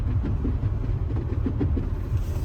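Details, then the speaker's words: Car with 95,465 miles, driving on the road: deep road rumble with uneven hollow thumps every fraction of a second as a loose underbody panel slaps the exhaust. "Nice car though. Like when it hits like the exhaust, you hear the hollow sound."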